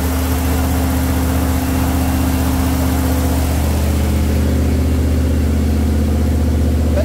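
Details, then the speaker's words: Jeep CJ5 freshly built engine with Holley EFI, 10 minutes into break-in at about 1850 rpm, coolant about 208°F, fans set 190/200°F: smooth steady fast idle, even note, no knocks or misses; healthy, oil pressure 45+ psi. "all right about 10 minutes into the break-in still about 45 PSI Plus on oil pressure about 208 right now the second fan comes on at 200 degrees so one at 190 one at 200."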